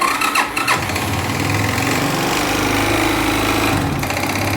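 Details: 2011 Yamaha Fazer 250 single-cylinder, high mileage, burning oil with oily exhaust and smoking when warm: uneven rattly knock over the idle at startup; worn piston and rings plus a stretched, very advanced cam chain.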